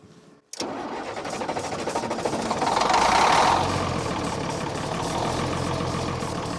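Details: Military deuce-and-a-half diesel truck, gauge showing a quarter tank, with ether being tried. The starter cranks steadily at about three and a half turns a second with no firing or catch. No fuel is reaching the injector lines.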